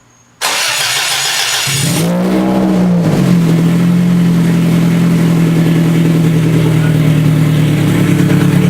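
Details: Scion FR-S with a rebuilt 3S-GE engine swap at first start after installation: the starter turns briefly, then it fires, blips up and down, and holds a steady, slightly high idle.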